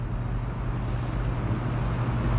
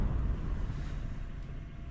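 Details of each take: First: Old box fan, uncleaned, stepped from low up to medium: steady low hum swelling slightly with speed, no rattle or scrape; runs fine, grille needs fixing. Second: Metal-blade box fan that was stiff and just oiled, on low: slightly labouring hum with soft whoosh; motor still slightly tight, owner thinks the oil-wick bearings need to soak up oil.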